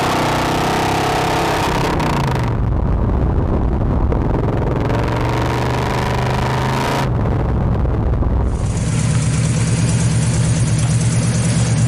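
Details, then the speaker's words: 1968 Chevelle with a big block, ex-drag car, after ladder bars were removed for stock rear suspension and a full mild-steel exhaust with Smitty's glass pack mufflers was fitted: deep V8 rumble through several revs, no rasp or rattle; exhaust sounds good. "yeah suspension doesn't clang or bang in the back anymore exhaust sounds good"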